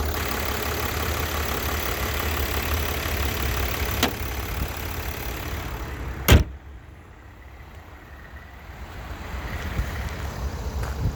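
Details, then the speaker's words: 2009 Mercedes-Benz E320 idling during a pre-purchase inspection; oil, brake fluid and coolant tested fine. Soft, steady low hum with no ticking or knocking and a door thump midway. Normal idle, nice and quiet and smooth. "I don't hear any any issues nice and quiet service do it says but again runs nice and smooth"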